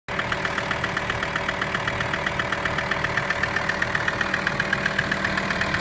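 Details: VW T5 with AXD diesel engine at steady idle: a sharp, evenly spaced knock about four times a second, clearly audible over the diesel rattle. A mysterious engine knock whose cause has not yet been found.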